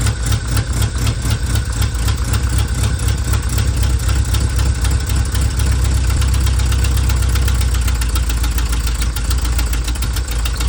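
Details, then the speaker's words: Vanagon broken down on a forest road, battery charged: starter churns steadily, about four compression beats per second for ten seconds, never catches; failed fuel pump, replaced. "try cranking it this morning and nothing won't even hit"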